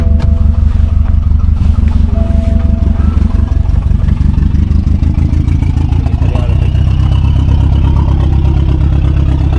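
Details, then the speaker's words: 2016 BMW 428i xDrive with drivetrain malfunction and cylinder 2 misfires, oil present and smoking: loud, lumpy idle with uneven low thump and irregular stumbles; owner suspects cylinder 2 coil. "So I have I have my drive train malfunction and the car is running horrible. Let me show you guys."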